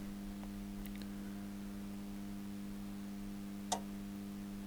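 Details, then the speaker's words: Zanussi ZAN 3K 2G grid-tie solar inverter (rebadged Solis 2G) with OV BUS error from burnt relay solder joints: steady hum with relay clicking, zero watts output then alarm; inverter not producing power. "yeah there's a relay clicking again I've given it a bit more DC no we're getting an alarm did hear the relay clicking"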